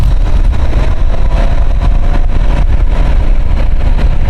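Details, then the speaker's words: Nissan X-Trail with fluctuating temperature gauge: scan-tool actuation of the radiator fans at low speed, only one fan running, gives a loud, rough steady roar, noisier than it should be; the ECU controls the fans and the wiring is good. "But as you can hear, it's quite noisy, isn't it?"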